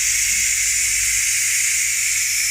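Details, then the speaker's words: Ninja pressure cooker venting steam after pressure-cooking beef brisket: a steady, even high hiss of steam rushing from the valve, no sputter or whistle. Normal pressure release. "So after that, we've just got to vent it, which is what we're doing now, look."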